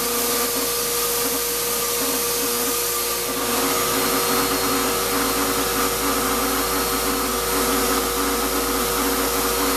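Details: Shop-Vac vacuuming coarse grit from a rock tumbler: steady high roar with thin whine and faint rough grinding; owner says dust previously pulled through the motor before adding a dust separator pretty much destroyed it. Grit-damaged motor.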